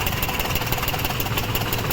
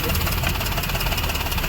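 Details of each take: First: Maruti Suzuki WagonR idling on CNG with misfire and vibration: sharp, even tak-tak ticking about six per second from the first CNG injector over-flowing; the ticking stops when its socket is unplugged, and the injector is to be replaced. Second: Maruti Suzuki WagonR running on CNG after CNG injector replacement: steady, even idle with a smooth low hum; the earlier misfire, vibration and tak-tak ticking from the engine are gone.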